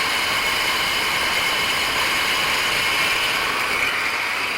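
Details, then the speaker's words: 1993 GMC Sierra half-ton 2WD with crate engine, cold start at about 10–15°F: idling with a steady high hiss and whir from the belt drive; noisy tensioner pulley, alternator charging near 15 volts. "the tensioner pulley is a little noisy"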